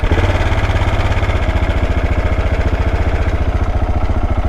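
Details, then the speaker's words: Big single at idle after wheelie riding, following an oil pressure low warning when cold: even, deep thumping idle with steady, slightly lumpy beats and no ticking or rattle; now sounds a lot better. "Okay, it sounds a lot better now."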